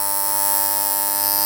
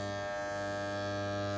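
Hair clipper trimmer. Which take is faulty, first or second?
first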